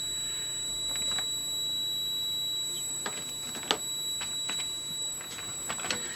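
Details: Akafusion Akatherm CB160 electrofusion welder, testing the leads with a multimeter set to beep: steady high-pitched beep with a few probe clicks, so this lead conductor has continuity and is intact; a break is sought in the other lead.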